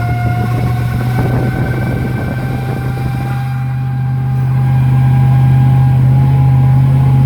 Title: 01 Silverado transmission fail loud noise